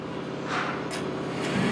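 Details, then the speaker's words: Oil burner firing after thermostat called for heat, fuel valve opened: steady blowing rush swells and firms within a second as flame lights; normal ignition at about 140 psi pump pressure. "And we have ignition. Look at the pressure. We're running about 140 pounds of pressure."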